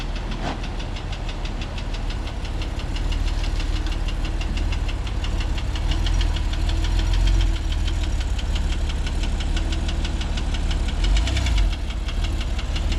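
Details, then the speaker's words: Copart auction car just started off the car carrier: fast light metallic ticking, about four per second, over a deep rumble, rattling like a weed whacker or sewing machine; engine knocking, badly damaged. "he started it up and it sounded like a weed whacker sounded like a sewing machine it's making some rattling noises that's not a good job"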